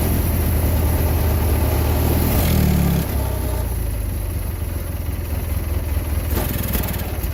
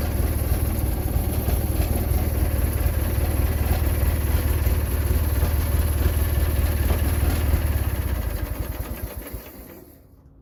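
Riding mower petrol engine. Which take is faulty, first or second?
first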